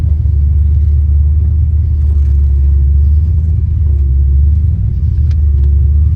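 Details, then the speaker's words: Foxbody Mustang after a distributor swap (pickup stator apparently bad in both units) cured a high-RPM miss at 4,000–5,000 rpm that plugs, cap, rotor and TFI had not fixed. Deep, steady rumble with no stumbles, misses or surging: normal running. "Alright, everybody. Well, that makes me happy right there."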